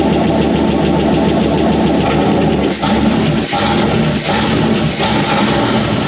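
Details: Chrysler 318 V8 from a Grand Cherokee with an AW4 transmission, swapped into a Jeep TJ, after fixing gas leaks and with no gauges fitted: a steady, even V8 burble with no misses, knocks or ticking. It runs healthy.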